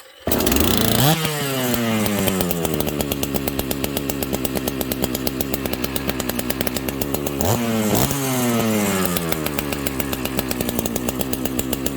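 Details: Dolmar chainsaw, high compression, started on full choke: catches on the first pulls, then idles and revs cleanly, pitch sweeping up and back down smoothly; strong, healthy normal running.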